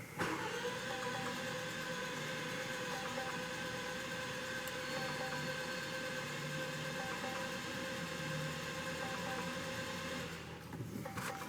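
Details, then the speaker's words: 2015 Range Rover Evoque, after variable valve lift replacement: steady starter cranking without firing, compression strokes coming and going unevenly as the new valve lift parts prime, then building; uneven compression while cranking. "all right that's two I heard compression coming but it also left so we'll keep going it's getting there it's getting there that's more like it that's what I want to hear"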